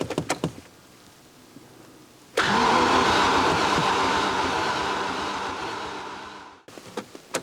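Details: Barn-find Range Rover Classic stored about 10–13 years, after sealing leaking fuel lines, priming fuel and new spark plugs, injectors uncertain: starter spins fast and even about four seconds, nearly catches but won't fire; cranks, no start.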